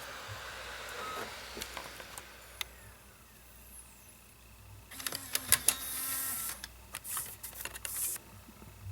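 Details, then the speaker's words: 2009 Mac Mini DVD drive tested with Tron 2.0 disc: quiet irregular clicking and mechanical chatter with faint whirring as disc spins; strange sound owner never heard before, drive possibly not in best shape; noisy optical drive. "I've never heard that sound before. Wow. There you go. What a strange sounding drive. It's not what I'm used to at all."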